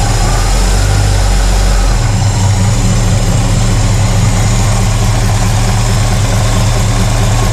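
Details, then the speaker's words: 1968 Pontiac LeMans after a cold start following a winter of sitting: steady, even low rumble with no misses or knocks. Finally idles on its own; healthy idle. "All right, she is finally idling on her own. Oh, that sounds good."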